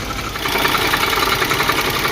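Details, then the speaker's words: 1976 Chevy El Camino V8 first run after long sitting, not yet warmed up: rapid, hard metallic knocking over a rough idle, sounds like destroying itself; engine knock, overhaul probably needed, cause unconfirmed. "well I don't know what to say but uh it runs and it sounds horrible like I said sounds like it's trying to destroy itself from the inside out"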